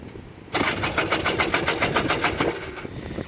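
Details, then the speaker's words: 1994 Polaris 400L 4x4 ATV cranking at three to four pulses a second with no catch, after the fuel had been off; long crank. Owner suspects the ignition coil. Hard starting. "may or may not cuz that's part of my issue here no she might want it one more time come on now she's got a really really really really low idle as you guys can hear it"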